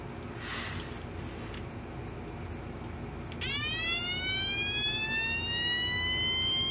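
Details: Homemade 1972 siren oscillator with an out-of-spec 470 µF timing capacitor: tone jumps in and climbs very slowly and steadily; sweep far too slow, not a police siren, more like a civil defense siren.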